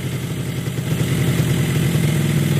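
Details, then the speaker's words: Yamaha RX-King two-stroke after crank/conrod and block rebuild: smooth, even idle lifting slightly with throttle, no knocks or rattles — normal idle. "Ya, enak. Enak toh? Wah, halus kan memang."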